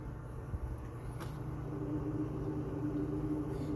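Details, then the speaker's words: Old soda vending machine given away for scrap, powered up. Its refrigeration compressor gives a low, steady hum that builds slightly, with no knocks or rattles. It is building pressure; the lines are hot and it cools normally. "sounds like compressors making this building pressure I can hear the typical compressor sounds"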